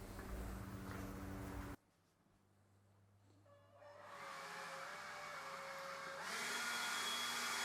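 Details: Ryobi battery leaf blower with a fully charged battery, after repairing its burnt low/high speed switch that wouldn't give high speed: motor spins up with a rising whine and steps up to a louder, higher rushing tone, reaching full speed normally.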